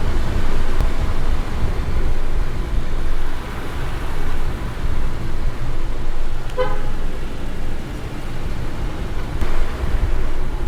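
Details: Car driving after wheel clicking fix (wheel and brake disc faces cleaned with brake cleaner, wheel refitted with nuts tightened in star pattern): steady tyre and road rumble, one horn toot, no ticking from the wheel; normal.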